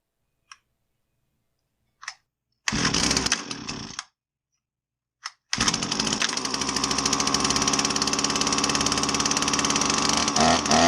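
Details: Husqvarna 322R brush cutter after tune-up, previously bogging with no power after sitting: small two-stroke pulls a couple of times, catches, then holds a steady high buzzing run without stumbling, sounding healthy.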